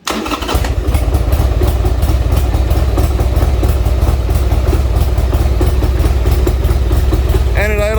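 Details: Old Harley Sportster with new plugs and plug wires, choke pulled, cold: brief crank then deep, lumpy idle about three beats a second, not yet steady; intake gaskets suspected.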